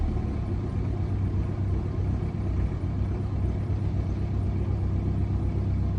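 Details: BMW 1 Series N47 diesel on cold start idling with a deep, uneven, slightly irregular pulsing rumble, a rough cold idle.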